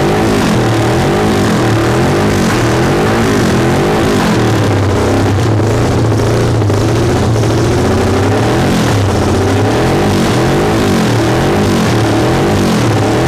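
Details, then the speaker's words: 1974 Yamaha TX500 twin, first start after sitting over 20 years: revs rise and fall unevenly, wavering and hunting through each blip; carburetors need work, and the owner also notes a failing ignition switch and a possibly hung-up valve. "Haha, it runs! That's cool news. So I know the carburetors need work."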